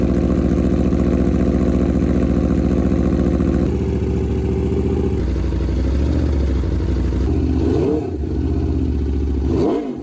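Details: Rebuilt wrecked 2021 Aprilia RSV4 on its first start-up after the rebuild: crisp, even multi-cylinder idle that settles lower, then two quick clean throttle blips; runs smoothly with no knocks.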